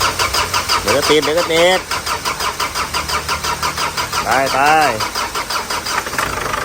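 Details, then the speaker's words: Ford Everest diesel after engine rebuild (damaged from radiator cap left off), new radiator, plain water in cooling system, injectors tested: cranks, catches, settles into even but slightly sluggish idle, no knocks or rattles. "เสียงเครื่องมันจะอืดๆนิดนึงนะ"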